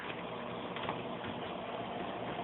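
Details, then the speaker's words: Fluval AquaClear 70 hang-on aquarium filter on low flow setting, tank filled to trim: very faint steady low hum with a soft water trickle, nothing rattling; quiet normal operation. "so in terms of quiet so that's how quiet it is there is just a slight bit of water trickle that you can hear now"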